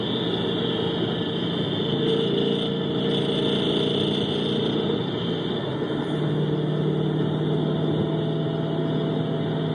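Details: 2011 GT 5.0 V8 at idle, recorded through amplified microphones on each cylinder bank with switching between channels: an irregular tapping knock over the low rumble. Another owner suspects piston slap and says his car does the same when cold. Engine knock.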